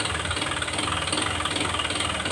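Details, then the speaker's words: Honda Click 125 scooter with 160,000 km, before repair, throttle blipped lightly: a sharp, quick knock with every firing from inside the engine, a worn connecting rod. The crankshaft and rod assembly is to be replaced. "นี่นะเบิ้ลเล็กๆนะเสียงก้านด้านในมันเขกนะครับผม"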